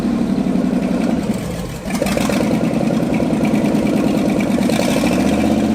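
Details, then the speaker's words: Abandoned Ford F250, restarted after 26 years, new starter fitted: uneven idle sags and nearly stalls around two seconds before catching again; still won't run without choke. "Still won't run without a choke. So, this still runs like gas, but we're going to get it fired up."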